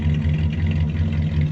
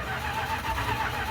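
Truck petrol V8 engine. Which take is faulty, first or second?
second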